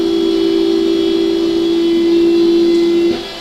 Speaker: push the joystick back I think and you can hear your seat going up right now this is your 6 inch seat lift